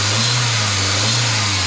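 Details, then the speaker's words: VW Vento petrol engine after fixing a jammed fuel injector that caused misfire and check light: strong steady note rising under throttle, smooth with no stumbles or skips; misfire totally gone, normal revving. "जैसे कि देख सकते हैं missing पूरा total बंद हो गया, एकदम कंप्लीट हो गया, परफेक्ट हो गया। इसका इंजेक्टर का प्रॉब्लम था, एक इंजेक्टर जाम था।"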